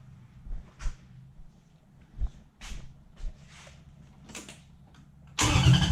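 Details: Toyota 1UZ-FE V8 swapped into a 2003 Hilux, start-up during cab wiring work: quiet stop-start turning over with scattered bursts, then the V8 fires at the end into a loud, rough, building roar.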